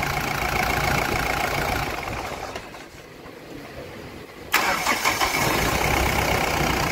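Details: Mahindra Bolero Pickup maxi truck diesel, about 3 lakh km, after engine overhaul for oil consumption (feeding, new liners): engine winds down, goes quiet, then catches sharply and settles into a steady, even idle; normal clean start.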